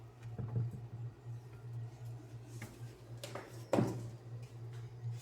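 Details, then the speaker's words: Brastemp frost-free duplex fridge: low steady hum with scattered irregular clicks and knocks from the freezer, evaporator fan blade iced in and striking ice so it can't turn; fix is melting the ice with a hair dryer. "que que você vai fazer aqui ó ventoinha fica batendo gelo aqui ó ela não roda fica vendo assim fica batendo aí"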